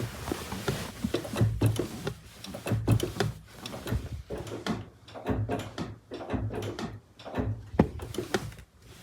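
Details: Clutch pedal pressed and released after cleaning and greasing the dry clutch fork: soft, irregular thuds with no squeak, pedal much smoother.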